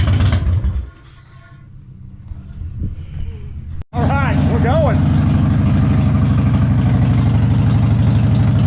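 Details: 1999 Harley-Davidson Fatboy V-twin started on a jump box after the gas tanks were cleaned and reinstalled. Cranks, catches and settles into a strong, steady low rumble with even pulses and no stumbling. Normal running.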